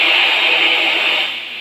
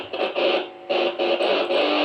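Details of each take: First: Boss GT-10 effects unit: steady FM-radio-like static noise with nothing played, volume up; repair by replacing the unit's RAM chip. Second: BOSS GT-10 guitar effects unit after replacing its RAM chip to cure FM-radio-like noise: clean guitar notes and chords with no hum, hiss or crackle, now working normally.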